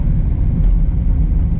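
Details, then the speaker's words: 2003 Citroen C3 1.4 HDi diesel driving up a slight incline: revs rise but the car barely pulls and slips if pressed further. The clutch is completely burnt out, and a horrendous wheel bearing is also noted. "If I put my foot down any further, it'll just slip straight away. This clutch is completely burnt out. I mean, slight incline here, and it's not even barely getting up the hill."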